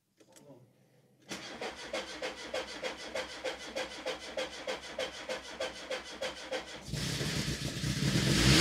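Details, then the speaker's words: Rebuilt 16-valve MK2 Golf GTI engine, first start after new HT leads, spark plugs and tightening leaking injectors; brief crank, catches with even regular beat, clean revs, then idles with slight exhaust smoke; normal start and revving. "done look it's idling now as it started up it's idling smoking a bit from the exhaust so if I need to tighten that up"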